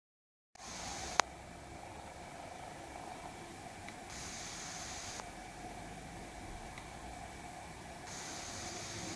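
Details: Lumia 950 loudspeaker in standby with all apps closed, OS version 10.0.10586.29: faint sharp clicks regularly about every 3 seconds over a steady hiss. A restart stops it temporarily; cause unknown.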